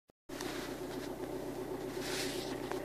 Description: Alfa 159 JTDM Lusso developed rattle/chattering noise. Goes away when pressing the clutch pedal at about 41 seconds in.